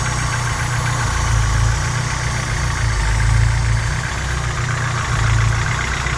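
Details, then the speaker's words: Honda G23 engine in a Civic, cold idle: hollow, tractor-like knock about four per second under a deep rumble, like an old Volkswagen diesel; louder at idle, goes away when warm; piston slap around cylinder one or two. "hear the noise look like old volksvagen diesel engine yeah this a piston slap"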